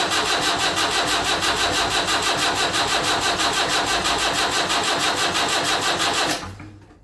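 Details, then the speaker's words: Land Rover Series 3 2 1/4 diesel at first start after rebuild: steady cranking at about three compressions a second for six seconds with no firing. Fuel was bled only to the injection pump, not yet to the injectors. "I've bled the diesel going up to the um uh the pump, but I haven't bled it going to the injectors."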